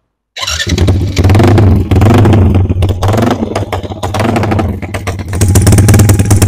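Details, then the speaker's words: Yamaha Y15 upgraded to 70mm with full Tobaki parts, on a temporary ECU with throttle held slightly open since the TPS screw can't raise idle, before dyno; loud lumpy uneven bark, noisy because fuel is slightly rich. "Kita dengar sikit bunyi dia macam mana. Dia agak bising sebab minyak agak lebih sikit lah belah"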